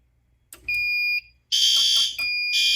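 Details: Fire alarm panel drill test: carbon monoxide detector strobes and horns still sound after changing their zone from monitor to supervisory; loud piercing horn blasts in repeating bursts.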